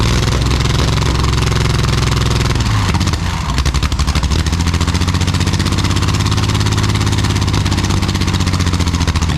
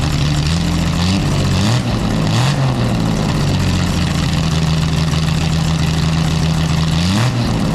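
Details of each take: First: Jaguar D-Type with homemade exhaust, recording without the built-in silencers: very loud deep rumble with sharp crackle through revs; the silencers later remove the cracking and smooth it, though it stays very loud. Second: Jaguar D-Type with a new homemade single exhaust with built-in silencers: loud, deep engine with revs rising and falling, fairly smooth without the sharp crackle, still very loud; normal engine note with silenced exhaust.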